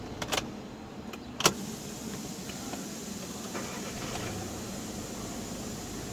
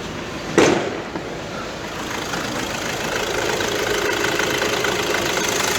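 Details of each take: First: 2012 car with a 7-speed DSG gearbox, 13 km after a noisy flywheel was replaced: a few clicks at first, then a quiet, steady normal idle with no rattle, judder or steering-wheel vibration. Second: Car with 7-speed DSG gearbox, cold start then idle, engine bay open: loose metallic rattle and shaking from worn dual-mass flywheel, worse on cold mornings; flywheel replacement planned, play to be checked once gearbox removed.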